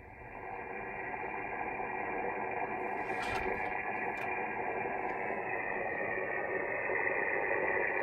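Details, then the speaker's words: 20 m band at 14.2 MHz on a 13 m vertical: harsh hiss with fast steady pulsing buzz from a neighbor's rooftop solar inverter, worst around sunset, before the X-phase QRM eliminator cancels it. "especially around sunset the inverter started pulsate and the QRM it it produces is it's terrible"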